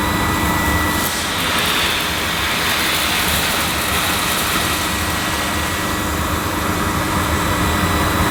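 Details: Panasonic MC-E862 bagged cylinder vacuum, bought new in box, picking up dirt on deep pile carpet: an even, steady rushing roar with a faint constant tone and no surging or rattles; a relatively quiet, good performer running normally.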